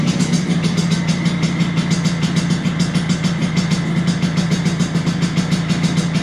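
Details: 1983 Vespa PX125E, first start after six-month full restoration: overhauled engine, new crankshaft, new 177cc cylinder kit, new bearings and clutch discs; steady even two-stroke buzz, no knocks or rattles, settling to idle; normal running.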